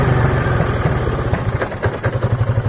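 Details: 2003 Piaggio Beverly 500ie with a lumpy idle, stumbling and popping, near stalling: a misfire from a faulty control unit. Throttle body, cylinder head, fuel pump, temperature sensor, plug, coil and relays were replaced with no effect; replacing the ECU cured it.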